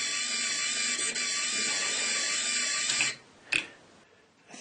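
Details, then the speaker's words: Worm-drive rudder servo driven by FIT0441 brushless DC motor at 12 V: high steady whine with buzzy edge for three seconds, then stops; gearbox sounds strained, possibly loaded or binding. "my view is that the gearbox is sounding as if it's under strain um let me just lift it off the table the table is amplifying that sound"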